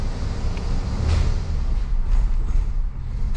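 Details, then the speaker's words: 1986 Ford LTD Crown Victoria with a replaced engine and cammed, still stalling: low, uneven idle sags, sputters and stumbles as if about to die, then dies unless given gas; stalling, cause unknown. "Oh, whoa. It just tried to die. I felt it sputter."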